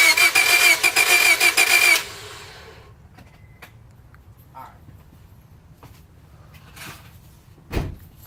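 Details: Honda cranks steadily for about two seconds, then stops without ever catching or firing; cranks but won't start.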